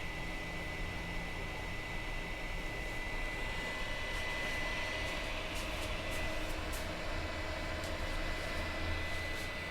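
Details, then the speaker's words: 2008 iMac at about 69°C: steady loud whoosh with a constant thin tone near 2 kHz, fans running flat out all day for over a year and a half, stopping only at sleep or shutdown; cause unknown. "the noise is loud the noise is there it is constant and only stops when the computer is put to sleep or turned off"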